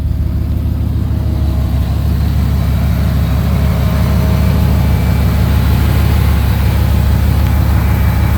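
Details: After adding thermostat for electric fan, fixing vacuum leak and adjusting idle and fuel pressure: deep, steady idle with even low rumble, no misses, knocks or hissing; normal idle.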